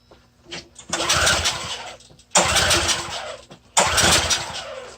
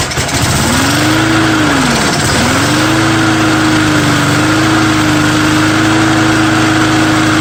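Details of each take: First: Curbside free small engine with nearly full tank, choked: catches and revs about a second then fades out, three times; won't keep running, suspected fuel supply problem needing carburetor work. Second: Small engine on a true cold start with undrained gas catches with a rising buzz, dips once, then settles into a steady, even idle; owner thinks the primer bulb is partly plugged.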